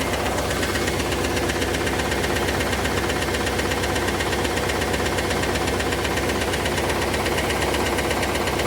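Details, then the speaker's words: Chevrolet Camaro IROC engine at idle: dense, busy ticking roughly three per second, like a clock factory, with a duller clacking knock buried underneath; cause of the clack still unknown. "This thing sounds like a clock factory going off inside. There's so much ticking and clacking going on. But try to listen in for that clacking noise that you're going to hear underneath the ticking, because it is there."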